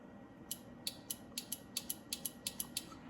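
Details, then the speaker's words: 1973 Mustang Mach 1, newly installed horn relay tested via push button: crisp sharp clicks at an uneven rate over a quiet hum; relay switching properly to send battery current to horns. "I can definitely hear it every time I push a button and it clicks on that is when it will send current from the battery to the horns so that's what that is doing"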